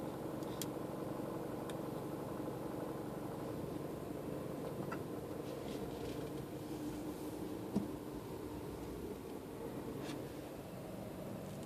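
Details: Mini Cooper: steady engine hum with occasional sharp, irregular taps and snaps; intermittent rattle of unknown cause.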